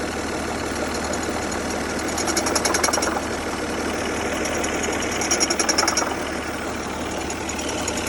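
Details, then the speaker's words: 2003 Saturn Vue idling: a rough, uneven rattle of three to four beats a second over the engine. Owner believes the AC compressor is shot; the system was recently charged and the condenser replaced. Cause unconfirmed. "I believe it's the AC compressor. The compressor is shot."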